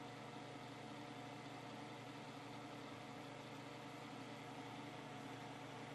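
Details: 1970s Hoover Knapp-Monarch automatic fin electric heater, fan running on high: steady loud whirring rush with no clear rhythm; the fan is noisy, making quite a racket.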